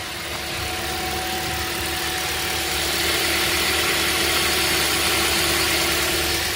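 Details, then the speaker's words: 2010 Toyota Corolla, 213,000 miles, just repaired after several parts trips: even, steady idle with fan hiss, no misses or knocks, though it occasionally dies right after starting. "Usually don't have to give the gas to keep it running."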